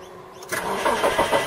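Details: 2002 Mitsubishi Lancer after replacing an over-amping, probably seized starter motor: short, even crank pulses lead straight into a catch and steady running; starter engages cleanly. Normal start.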